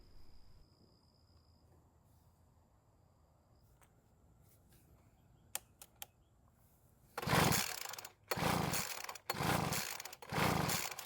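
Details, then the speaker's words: Poulan Pro leaf blower with an empty tank, primed with fuel and fitted with a known-good spark plug. Four rough pull-cord strokes about a second apart, never catching or firing, although fuel, spark and compression are present. Cranks but won't start. "so unfortunately it still didn't start and by this time I'm getting very irritated that it hasn't even tried to start yet"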